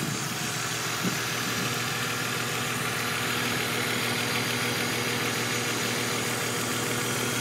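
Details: BMW E46 330i turbocharged, warm idle after oil warms up: light fast ticking about three per second over steady idle; lifters replaced two years ago without help, tick present before turbo conversion, owner suspects valve problem; engine ticking when warm.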